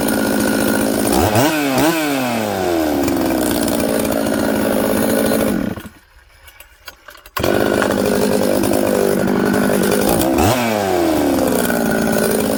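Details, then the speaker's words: Newly built 266 chainsaw after sealing an air leak with assembly silicone around the oil pump O-ring: crisp revs rise and drop cleanly, and it settles quickly to a steady idle in any orientation. Normal idle and revving. "wow okay friends uh i had the saw running there you can see it starts it idles it settles down quickly i can flip it all around it's good"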